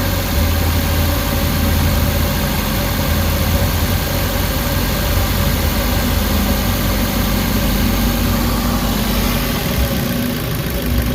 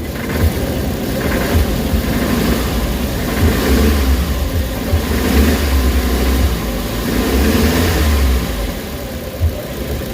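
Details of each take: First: Warm Suzuki Carry engine idling under two minutes after adding XADO engine treatment, fixing earlier shaking, knocking and low power: low steady idle rumble, even beat, no knocking; vibration has largely gone and it runs smoothly. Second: Suzuki Carry, warm, before XADO treatment and oil change, with low power and weak pulling uphill: rough idle with an uneven low rumble pulsing about three times a second and noticeable shaking; owner suspects a loose mount.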